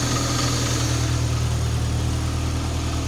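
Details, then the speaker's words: MK2 VW Golf GTI after a 12 V supply and earth check on the idle valve wiring: smooth, even idle around 1000 rpm with a steady low hum and no lumps or hunting; the buzzing returned on a later restart. "Sounds nice. Hiding at 1,000 RPM."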